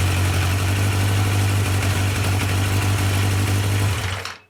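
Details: Yamaha FJ 1200 café racer four-cylinder after carburettor synchronisation, vacuum readings now equal across cylinders: strong, even low burble at steady idle with no misses or rattles, then a clean shutdown; well balanced.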